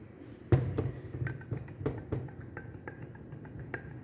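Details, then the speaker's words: Honda CRF250L crank, removed from a running, regularly serviced bike under 20,000 km: sharp metallic clicks and dull clunks as the connecting rod is smacked by hand, showing play in heavily worn big end roller bearings. "you pick up that click and click that's the actual rod moving up and down on the play in the bearings"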